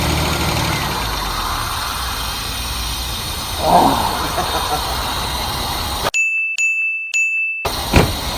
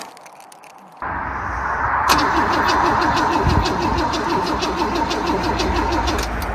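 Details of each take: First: Holden Commodore idling after sitting 10-15 years at a wrecking yard, first start after clearing the carby: quiet, steady, even idle with no puffing or ticking, so no exhaust hole; owner thinks it needs spark plugs. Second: Holden Commodore pulled from a wrecking yard, old petrol smell, on an old battery; starter spins the engine evenly at about three or four compression beats a second but it never fires; cranks, no start, cause unconfirmed; fuel to be poured down the carb next.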